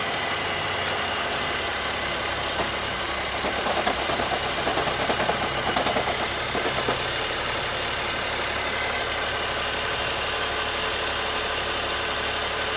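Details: BMW E46 330ci six-cylinder idling with oil filler cap removed: fine fast ticking clatter over hissy background, louder at the open filler; source not pinned down.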